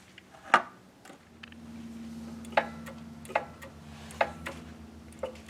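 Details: Pride Mobility Jazzy Air 2 power chair: short sharp chirps about once a second over a low motor hum as the seat elevates; warning beeps, possibly from its sensors.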